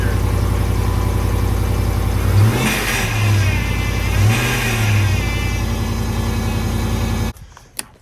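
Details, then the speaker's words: Jeep JK with Hemi swap, new aftermarket Daystar power steering pump, engine at raised idle: steady whirring drone over the rumble, fading at low idle; defective power steering pump. "Not the ideal solution after doing a Hemi swap. Like, the motor turned out perfect, the transmission was perfect, the shifter, like everything came together so well, and then being stumped for a week over a power steering pump."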